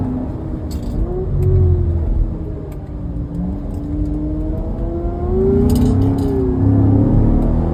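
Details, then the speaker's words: Chevrolet C7 Corvette, 6.2 L V8, highway driving, oil life at 0%: loud siren-like whine over engine and road rumble rising and falling with road speed, from the rear differential; driver unsure if the diff is cooked. "Uh, that is the loudest diff wine I think I've ever heard in a car. It's It sounds like a siren."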